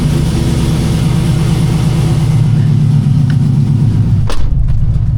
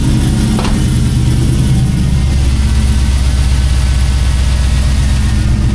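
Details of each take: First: K5 Blazer with 5.3 LS after intake gasket replacement for hard morning starts, cold start after sitting overnight: deep, uneven loping idle like a big cam, though none is fitted; cause unclear. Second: K5 Blazer 5.3 LS, first start after intake gasket replacement for morning hard start, cold night; deep steady even idle, no misses, knocks or hissing, no leaks seen; normal idle.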